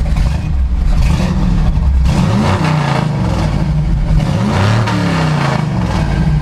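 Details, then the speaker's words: Chevrolet C/10 truck with freshly tuned engine and carburettor, restarted after the fuel pickup snagged on the tank's anti-slosh mesh and caused stalling; fires right up and revs cleanly with no misses or stumbles. Normal revving. "So now watch, it'll fire right up. Okay, perfect."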